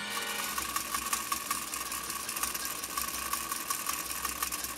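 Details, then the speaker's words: 1935 Singer 95-60 industrial sewing machine, revived after arriving not sewing, sewing six layers of commercial-grade canvas: quick steady ticking near three stitches a second over an even motor whir, running without labouring under load. "listen to that machine working you can hear that machine just going"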